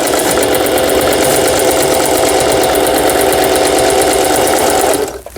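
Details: Singer 4432 sewing machine after repair (was noisy from new, parts knocking, auto-threader dislodged, overlock stitch failing): zigzag and pattern stitch tests, fast even stitching about three to four stitches a second with smooth motor hum, then stops; normal running.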